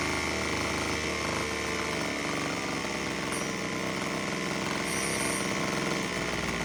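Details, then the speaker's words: Homelite HT17 gas hedge trimmer after carburetor adjusting screws set three turns out, two-stroke buzzing with a wavering, uneven beat, sounding better but won't stay idling; unstable idle. "Let's try it again. I don't know why it doesn't want to stay idling."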